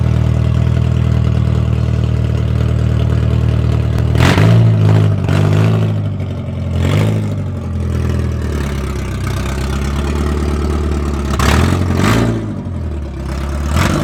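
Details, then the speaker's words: Car with snapped header (broken in half): deep, raspy idle far louder than stock, with crackling bursts on each rev blip, exhaust leaking before the silencer. "my exhaust broke and it sounds like [ __ ] and it makes me sad"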